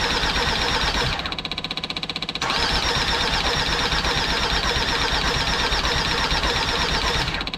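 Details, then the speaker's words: Jeep Grand Cherokee WJ 2.7 CRD OM612 diesel, first start after a full engine rebuild, with a Facet pump trying to prime fuel: rapid rhythmic cranking in short bursts that never fires. "So anyways guys, the new injectors are faulty and the old injectors are working, so I'll have to sort that out soon."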